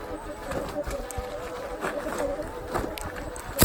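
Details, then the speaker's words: Sur Ron X electric bike with a 26-inch front wheel: thin, wavering mid-pitched whine over the running noise from an overheated, dragging front brake rotor and pad. "You can hear that front brake whining."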